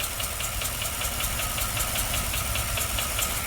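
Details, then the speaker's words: Ford engine: loud sharp clacking about 2.5 per second over an uneven, stumbling idle with popping back through the intake, eventually dying; dead cylinder, first thought to be a broken valve spring. "But she does run terrible, and you can hear it clacking away too."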